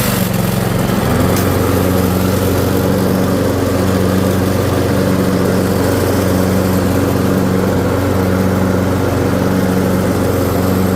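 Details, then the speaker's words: Toro 5.5hp self-propelled walk-behind mower picked up free from the curb, on an extended 10–15 minute run at full-run throttle on level ground. It holds an even, steady engine note with no misses or surging and ran better as it warmed up. "So as you can see, it ran better. Got better as the time went on with it."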